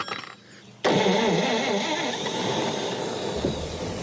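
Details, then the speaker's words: 70-year-old Chevy barn car, first start in 44 years, carburetor bowl primed with gas and two-stroke oil: brief cranking then fires and settles into steady even idle, no knocking or misfire, smoking heavily; normal start and idle. "Yes, it sounds good. No. Is it going to sit here and idle? I can't believe it."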